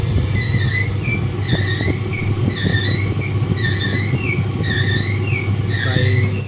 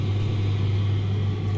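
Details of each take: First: Simpson clothes dryer running with a heavy low mechanical whirring hum and a chirping squeak about once a second; worn drum bearing, fixed by replacing the bearing. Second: Simpson clothes dryer running after drum bearing replacement: steady even low hum, the earlier mechanical whirring gone.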